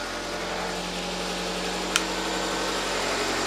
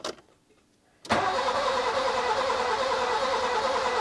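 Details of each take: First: Nissan Micra K11 after the fouled spark plugs were replaced; before, it seemed to run on three cylinders. Now it idles evenly and smoothly with a steady light hum and no skipped beats. Normal idle after the plug change. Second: Nissan Micra K11 with fuel pump fuse removed: starter cranks steadily at about three turns a second but the engine never catches, clearing a flooded engine still full of fuel.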